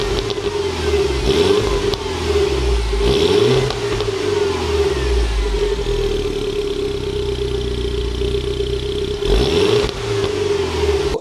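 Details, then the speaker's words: Cheap Mini Cooper S, before back box delete: blips up and settles back several times over steady high whine, smooth, no knocks; pops and bangs a little off throttle above 3,000 rpm; healthy engine and exhaust. "It pops and bangs a little bit when you let off the throttle over 3,000 RPM. It sounds pretty good, but I want it to sound a little bit more ASBO."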